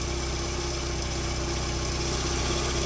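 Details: 1992 VW Corrado 16v 2.0-litre petrol at idle: light, fairly even tick-rattle around four per second over steady idle; small rattle from somewhere, source not pinned down.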